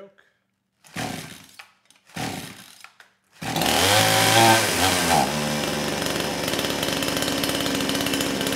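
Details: Kraftworld KW-5800 58cc Chinese chainsaw, previously low compression after straight fuel, now with the new carburetor swapped in, throttle locked then choke opened: a couple of starter pulls, then it catches and holds a steady, even high-speed scream without stumbling; running properly.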